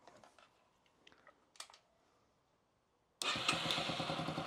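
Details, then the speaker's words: 2008 Yamaha XT125R Big Wheel, stored 12–15 years, carb cleaned, new battery: few quiet clicks then fires at once without pulling clutch, even rapid beat; normal electric start, charging at tick-over being checked with multimeter. "That's interesting, and I hope it's because it's in neutral, but usually from my days you'd have to pull the clutch in to get the electric start to initiate, to stop you not having the clutch in and it zooming off, but didn't do it."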